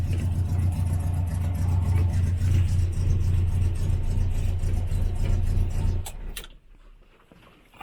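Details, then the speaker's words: 1968 Morris Minor 1000, cold first start of the year on choke: uneven stumbling beat before shutting off; misfire, suspected ignition leads, running better after they are checked. "oh yeah now it's getting a little bit too much choke [Music] thank you [Music] we are having a misfire"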